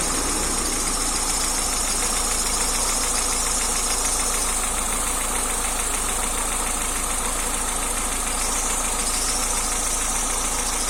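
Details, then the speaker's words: Steady idle with quick, fairly even tick about three per second, top-end ticking; cause suspected, not confirmed: engine ticking. "dans cette vidéo je vous montre les méthodes de diagnostic de certains bruits au niveau de votre moteur"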